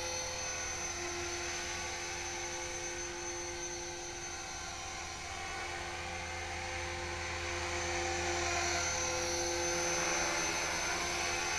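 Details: Smooth, steady high whine with even rotor beat and no rattles or surging from an HK-450GT electric helicopter on a gentle dusk test flight after rebuild; normal hover.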